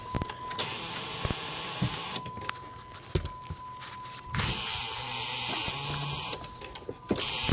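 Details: Dodge Grand Caravan that won't start: repeated bursts of whirring cranking at a steady pace, each ending without the engine catching; crank no start, later started by pumping the accelerator and brakes.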